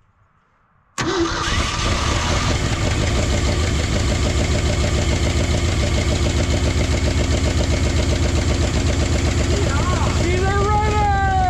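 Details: Old hybrid Ford F350 bumpside truck that sat since the late 90s/early 2000s, cold-weather start on a temporary jerry-can fuel feed: fires straight away and settles into a steady, even, quick idle; normal idle.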